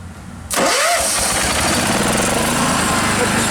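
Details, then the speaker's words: Mower started by bypassing a bad starter solenoid (key won't work; switch to run, use a screwdriver; solenoid in the console): quick crank, small engine catches at once into a steady busy run; solenoid needs replacing. "The only downside to it is I need to put a new starter solenoid. It's actually in the console of the truck, but I just one problem at a time."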